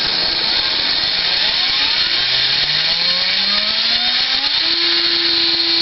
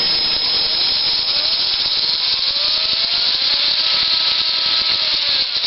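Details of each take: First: Axial XR10 rock crawler rear axle running a Hot Racing big-bearing gearbox, installed because the stock small bearings kept blowing out; motor whine rises, holds and falls smoothly with no clicking or grinding; quiet, normal gearbox. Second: Axial XR10 rock crawler gearbox; high, gritty, growly gear whine rising and falling with motor speed, much louder; gears have too much play, probably a failed bearing; gear noise.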